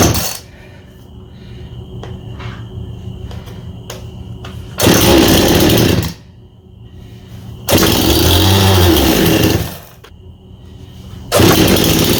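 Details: Husqvarna 51 chainsaw with an aftermarket big-bore (55) piston and cylinder and high compression, after cleaning the carburetor that stopped it starting after sitting with fuel: crisp blips to full revs, steady idle between them; saw runs healthy.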